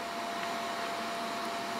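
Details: HP XW8000 dual Xeon workstation, just powered on for testing: constant airy rush with faint steady whine, no rattles or surging; normal fan noise, machine boots.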